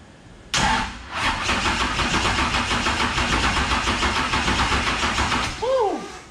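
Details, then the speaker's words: First start of a 10.3L (632 ci) supercharged big-block V8, blower not yet fitted: cranks, catches, runs rough with loud uneven popping and sparks out the exhaust before dying; ignition firing way late, distributor alignment suspected. "so we've got a timing issue going on we're we're firing way late so you can hear it rub one out the exhaust and the shooting sparks out something's not right with the timing"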